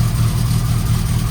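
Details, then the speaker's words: Lotus Elan with its engine refitted after a fourth clutch job, oil burning off at first start: a deep, lumpy idle with loud rhythmic chuffing through the engine note, amid graunchy noises. A massive exhaust leak at idle. "And a massive blow. Massive blow."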